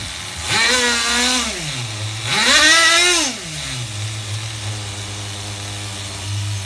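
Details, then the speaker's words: HPI RS4 Nitro F150 pickup RC truck glow engine on 16% nitro, retuned after overheating to ~350°F: two quick rising throttle screams then a steady even buzzing idle without stumbling; running smoothly. "you have to get your tunes extremely uh accurate when you're having a 16 and uh 16 and 16 in your Nitro here so I don't know if you guys can hear how smooth it sounds now"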